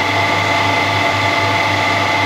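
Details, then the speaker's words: Harrison M300 lathe after oil changes and new drive V-belts, run at 370 RPM: smooth even hum and steady gear whir, no knocks or grinding or unusual noises; normal running. "those belts look really smooth and we've got no unusual noises coming from the lath the gear side of it anyway so that's really good generally then I'm really happy at the minute how that La sounds No weird noises and everything seems to be working as it should"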